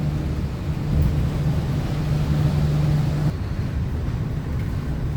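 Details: 2007 Torino city bus on a Mercedes-Benz OF 1721 BlueTec 5 diesel chassis, recorded under way: a steady low diesel drone with a constant hum underneath from a differential that always howls loudly; differential whine.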